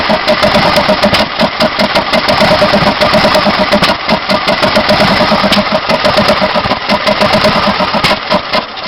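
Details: Briggs & Stratton Intek 18.5HP engine on a DYT4000 riding mower that won't start: runs about one minute first thing in the morning on starting fluid, then tries to start but only backfires through the carb; ragged uneven firing with sharp pops and crackles, never settling into idle.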